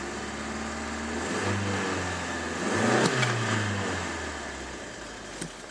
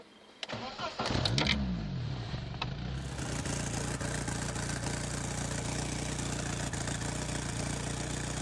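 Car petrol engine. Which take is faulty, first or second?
second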